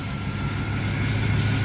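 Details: 1997 Dodge B3500 van that sat 3 years, in for spongy brakes: a steady airy hiss over a low, even idle as air is drawn through a failed intake manifold gasket. The vacuum leak is also heard in the crankcase, and the coolant is gone.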